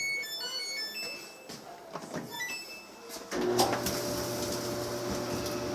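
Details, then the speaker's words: Samsung dryer test run after lubricating the bearings, replacing the bad bearing assembly and motor belt and fitting a new glued felt belt: start-up chimes then smooth, even, low hum without scraping or thumping; normal quiet running. "Okay, so I got the power hooked up and the bearings have been lubricated. The band has been changed."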